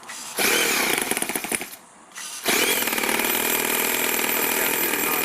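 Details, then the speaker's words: Toyan four-cylinder four-stroke model engine in an RC rat rod: a buzzy high-pitched engine sags and nearly dies, then picks back up to a strained run. The loosening clutch bell pushes against the gearbox housing and binds. "it pushes against the gear actually pushing against the housing on the gearbox there and it just it was causing it to go whoa you hear it kind of like it was it needed more air or something but it was actually just getting bound up really weird"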